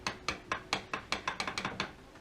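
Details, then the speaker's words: Suzuki DL1000/SV1000 2014 OEM clutch basket at 40,000 miles, rocked by hand: sharp metallic clunks about four a second; worn bearing clearance gives excessive slop compared with a new basket. "that's already got quite a bit of slop at 15 000 miles here's a 2014 basket with 40 000 miles and you can see and hear that"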